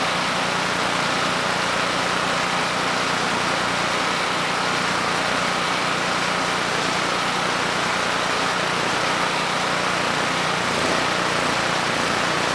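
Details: Generac GP5500 generator (low compression) back on its first carburetor with the vacuum leak and fuel leak fixed; started first pull, choke off after about 10 s, under a 1500 W load: steady low hum, no surging or misses, running smoothly.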